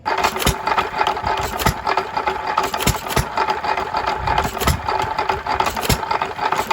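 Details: 3 1/2 hp small-block Jaeger hit-and-miss engine, previously stuck, running after reassembly: sharp firing pops about once a second with coasting gaps between; normal running.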